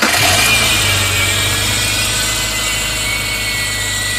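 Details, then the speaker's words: 2002 Subaru Forester at idle with the alternator belt slackened: a steady high-pitched whirring squeal persists from start-up, traced past the non-rotating pulleys to the AC belt tensioner/idler pulley. Finding: worn tensioner pulley bearing. "But a lot of the times it's going to be that idler pulley there."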